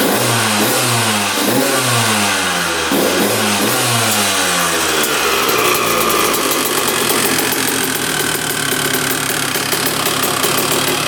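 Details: 2001 Honda CR125 two-stroke dirt bike, first start after fix-up, choked: crackling blips then high steady buzz without bogging or misfires; running pretty darn good, normal.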